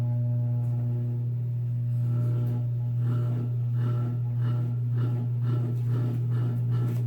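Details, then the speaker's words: Antique Century closed-top 60-inch ceiling fan, late 1910s–early 1920s, restored, on high: strong steady low hum with slow rising-and-falling pulse; loud cyclic motor hum, owner unsure if winding needs revarnishing or vibration/loose parts. "It also has a pretty loud cyclic hum."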